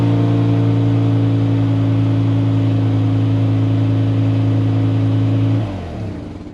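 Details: Mazda RX-7 FC3S rotary engine on a newly installed Compustar CS920-S remote start, still working: steady, even idle with a smooth low drone and no misses or knocks, then a clean shutdown. Normal idle.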